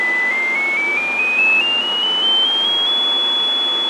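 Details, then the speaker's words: Radio receiver bench test, test tone stepped from 1 kHz up to 5 kHz: a clean tone climbs in steps with a steady hiss underneath that is nearly as loud at higher frequencies; receiver audio is noisy and likely needs an alignment. "See the noise in it? what I see and what I hear, the noise is damn near just as loud as at higher frequency."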